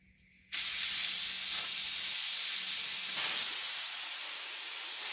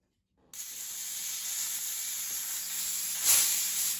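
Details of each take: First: Hatsan Blitz air rifle just filled to 3000 PSI from scuba tank, bleeding fill line: constant sharp high hiss for about six seconds, never tapering; fill valve not seating, air escaping, later fixed by cycling/rapping the valve. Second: Hatsan Blitz air rifle filled from scuba tank, after leaking valve was cycled/rapped a few times: short sharp hiss that swells once then fades, no steady leak afterward; valve now sealing properly.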